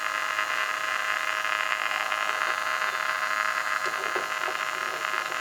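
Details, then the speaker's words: Original tube radio from a 1956 Chrysler Windsor (300i concept), tested with speaker nearby: steady hum with hiss and crackle as the tubes warm up, vibrator starting, before any station tunes in; normal warm-up hum and static. "we got to give it a few minutes to warm up that's the beauty of these old tube type radios I don't hear the vibrator there it goes oh get the speaker right over here hear that hum and the"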